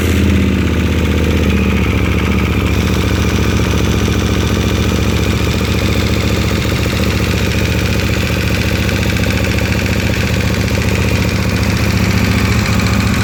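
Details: KTM 1290 at steady cold idle, noise since 10,000 km, disappears at 70°C oil: fast metallic ticking clatter on the engine beat, no rev change; source unclear.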